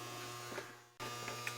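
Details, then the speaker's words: GE Cabrio washer WTW5550X after replacing a damaged control-board capacitor with a 1000uF 10V one; previously just hummed, smelled burning and wouldn't start: steady low electrical hum with a few light clicks and brief dropout, normal load auto-sensing before filling. "i hear it auto sensing which is what it's supposed to do and i'm just going to wait for hopefully the water will come out and it'll start washing"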